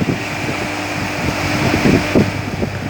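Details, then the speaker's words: Electric motor after a passing megger insulation test, run from its panel and listened to for abnormal noise before the vibration check. Steady even hum with a constant low tone and no knocks, rubbing or grinding; normal running. "Setelah udah dirunning motornya, kita dengarkan apakah ada kelainan suara atau enggak. Kalau enggak ada kelainan suara, langsung ke tahap berikutnya, yaitu kita cek vibrasinya."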